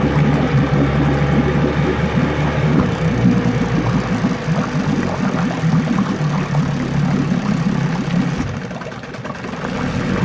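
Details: 9.9 HP Johnson outboard being revisited after an earlier failure, refitted with a new water pump and carb kit, running in a test tank after a choked start. It fires and runs on with an even buzzing beat, fading briefly then picking back up. Normal idle around 800 rpm.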